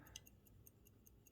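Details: Serviced Waltham 1892 size 16, 7-jewel hunter-case pocket watch: crisp even ticks about five per second; normal ticking.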